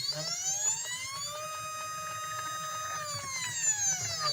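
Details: CNC machine stepper motors with drivers set to 0.3 Vref, potentiometers at max: clear tonal whine rising, holding, then falling as axes move, with a rough grinding edge; noisy stepper drive suspected, not confirmed.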